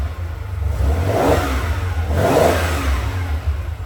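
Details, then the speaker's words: 1979 Ferrari 512 Boxer, four triple Webers after rebuild and tuning (previously spat and backfired, hard off idle): two crisp throttle blips rise from steady idle and fall back without spitting or popping; healthy carburetion and normal throttle response. "we can snap the throttle and it'll it'll actually move now. It'll actually respond."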